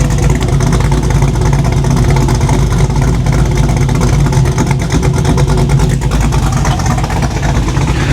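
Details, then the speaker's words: 1987 Chevy Monte Carlo SS 500 hp V8, warmed with choke fully open: deep, steady idle with even unbroken rumble, no knocks or misses, no longer smoking; running healthy. "Man, that sounds good. I'm gonna need to replace those lights. I imagine the choke is open by now. Idle sounds pretty good."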